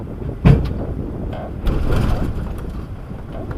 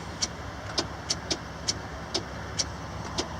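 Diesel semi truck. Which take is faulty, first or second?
second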